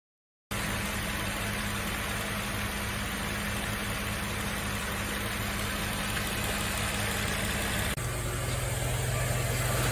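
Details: Nissan Fairlady Z Z33 (VQ35DE V6, automatic) at about 310,000 km, idling after a DIY engine overhaul: smooth, even idle with a steady low hum and no knocks or ticks, a slight settle in pitch near the end; healthy engine.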